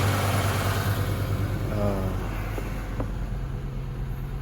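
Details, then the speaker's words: 1994 Acura Vigor GS after the exhaust pipes were replaced, recorded from underneath the car. An even, low exhaust note with a brief smooth rev and no puffing, ticking or hissing: the exhaust sounds sealed, with no leaks. "all right so that's what the exam sounds like nice and quiet right you guys don't hear it anything sound like there's any holes right"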